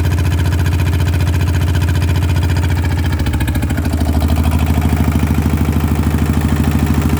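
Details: RT100 two-stroke motorcycle after draining engine oil that had not been changed for a long time: a steady low putter at an even beat, with a slight rise in pace midway; running normally.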